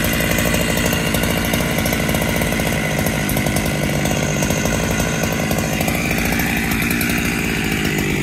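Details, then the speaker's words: Freshly rebuilt Husqvarna 365SP with original cylinder and piston, after tuning out a rich, loading low end: even, steady two-stroke idle with no lumpy dips or surging, where before it lumped along. "Seems to be idling quite smooth now. Before she was lumping along."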